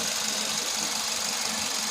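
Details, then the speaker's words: VW Vento petrol engine after fixing a jammed fuel injector that caused misfire and check light: even steady idle hum with no stumble or skipped beats, running smoothly on all cylinders; normal idle. "इसका injector का problem था, एक injector जाम था।"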